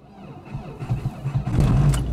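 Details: Old car that has been failing to start in frost, battery dead, started with a booster: brief cranking with key jingle, then the engine catches and picks up into a running rumble; it starts fine.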